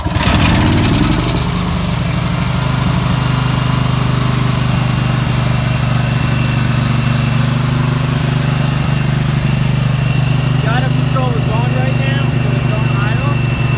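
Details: Briggs and Stratton 12,500 Elite series generator, 10W30 oil, about 85°F ambient, restarted with choke pushed back in: catches after brief crank and settles into a steady, even low drone, no stumbles; normal running after start.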